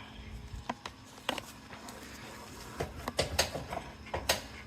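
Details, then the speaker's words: Worn rear left trailing arm bushing on a 2003 Honda Accord with about 1,049,000 miles: sharp, irregular clicks and knocks each time the arm is rocked by hand, with visible play in the separated bushing. "You'll hear it clicking. I've got a short video about the clicking from underneath the car, but you can see the play in it and the clicking sound."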